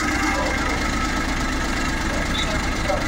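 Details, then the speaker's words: Suzuki Every Wagon at idle: engine vibrates with uneven shaky pulse but steady RPM, no hunting; misfire attributed to failed ignition coil. "Palyado siya. Nagvibrate 'yung kanyang makina. Pero 'yung RPM niya consistent naman."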